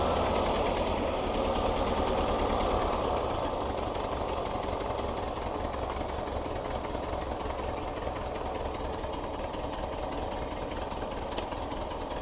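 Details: 1973 VW Type 3 Squareback air-cooled engine, first start-up after new points, plugs, wires, injectors, starter, vacuum hoses, timing and valve adjustment: steady fast chatter about three beats a second: normal idle.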